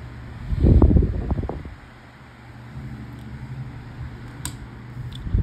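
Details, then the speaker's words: Oscillating fan with new blue fused plug, oscillation engaged, made in USA: soft steady low hum, no rattle or ticking, some handling noise at start and end; very quiet, blows a good amount of air, perhaps not as powerful as the other one; normal operation. "um as expected it's very quiet does blow a good amount of a but it's uh not as um I wouldn't say is as powerful as um the other one"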